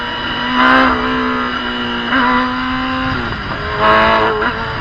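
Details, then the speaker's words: Gen 1 Kawasaki ZX10R on a road ride after a first fix attempt that failed: engine note climbs under throttle, then suddenly sags and picks up again. Cut occurs in both first and second gear. Intermittent mid-range power cut under throttle. "I thought it was only happening in first gear until towards the end there, and you probably noticed that its second gear did it as well. So it's got no issue with what gear you're in."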